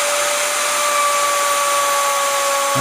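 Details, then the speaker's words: Vevor 5120 plunge router, 15 A, 3.2 hp, 3/4 in straight bit cutting an edge rabbet against the grain: steady high whine holds pitch with no bogging; normal running under load. "If this router doesn't notice it at all, it just plows right through. That was a pretty good job."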